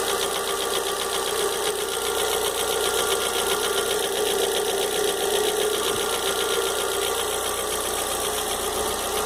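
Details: Fox engine: light, rapid tapping about four per second over a steady idle, cause unknown; engine knocking noise.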